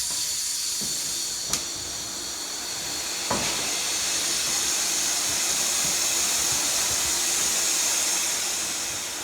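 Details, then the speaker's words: Homemade boost/vacuum leak tester pressurizing the intake with the engine off: steady high hiss of escaping air, couplers sprayed with soapy water; boost leak. "And right off the bat, you can already hear that it's leaking air over here somewhere."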